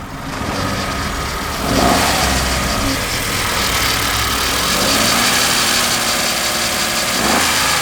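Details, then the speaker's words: Kia Picanto with 13,000 miles, revving with the belt off: a busy metallic rattle that rises with engine speed. Owner suspects timing or a bearing, not the chain; source still unknown. "i reckon personally it's something to do with the timing maybe this sounds like a bearing to me it doesn't sound like a chain right or nothing it sounds like a bearing"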